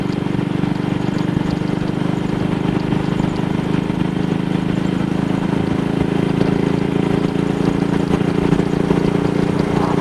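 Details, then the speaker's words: Single-cylinder motorcycle with Wassell Evolution (Amal Concentric Mk 1 type) carburettor, after a twisted, dislodged needle clip was refitted: smooth, steady note at 45–50 mph indicated cruise with no misses or stumbles. No sign of the misfire so far. "That's 45 miles per hour indicated. Almost 50. Well, this would have been accompanied by all sorts of jerks and pops yesterday, so I'm quite happy about this."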